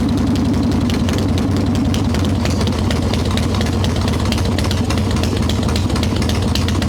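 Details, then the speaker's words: Harley Evo Softail big V-twin, ice-cold, fired right up with no choke after three squirts of fuel, after fixing loose intake bolts, a cracked vacuum cap and the idle screw; mixture screw not yet adjusted; low, steady, even lumpy idle with no misses: normal idle. "no choke fired right up three squirts of fuel we not leaking holding a nice little idle we have not changed the mixture screw it's not warming enough to mess with that yet but this is what it's supposed to sound like idle returns like it's supposed to"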